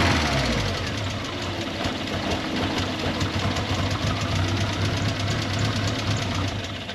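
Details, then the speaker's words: MK1 Ford Fiesta with Zetec engine conversion, worse when cold: idle hunting and stumbling instead of settling; engine tends to die on throttle when cold. "as you heard In that clip the idol is absolutely terrible especially when she's cold"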